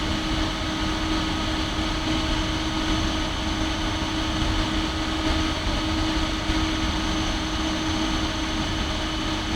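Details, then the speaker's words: Compaq DeskPro 286e (286 PC) at power-on, microphone aimed right up at the computer: loud constant vacuum-cleaner-like whooshing fan whir with steady hard drive whine, no knocks or scraping; normal but noisy old machine. "Sounds like a vacuum cleaner. Sounds more intense because I had the microphone right up to it, but it's not a quiet machine by any stretch."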